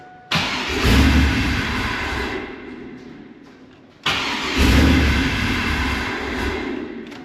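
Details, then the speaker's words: WS6 Trans Am first start attempts after sitting 5 years, new Magnaflow catback fitted, weak battery, awaiting secondary tune: two starts catch with a rough surge then die within about three seconds; owner suspects a big air leak, unconfirmed. "It sounds like it has a ginormous air leak, but it could be from that box making a ton of noise."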